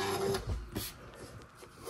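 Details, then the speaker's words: Commodore VIC-20 Super Disk Drive at power-off: a faint short whir and a couple of light mechanical clicks as power cuts. Owner finds it odd but takes it as a sign the drive is communicating; cause unclear. "this is weird when I turn it off it makes a sound but I'm happy because that means it's communicating"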